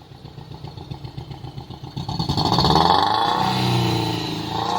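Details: Toyota Corolla XLI at the exhaust: lumpy uneven idle puffing about four times a second, then a rough rev; misfire because a blown head gasket lets cylinder 3 pressure leak into cylinder 4.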